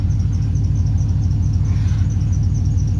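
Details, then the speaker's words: LS-swapped V8 idling at about 30°F after new spark plug wires were fitted to fix a misfire: deep, even rumble with a faint squeaky belt chirp; the engine runs smooth and healthy. "other than a squeaky belt that's a win"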